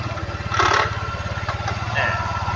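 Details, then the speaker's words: Honda Click 110 carburetted scooter at idle with belt cover removed, engine running: steady, even putter and the earlier metallic chirp now gone; drive normal, though the aftermarket rear pulley set wobbles slightly. "เนี่ยเสียงที่ดังจิ๊ดๆๆๆอยู่ก็เป็นไว่าทำไมครับอ่าเงียบหายไปนะ"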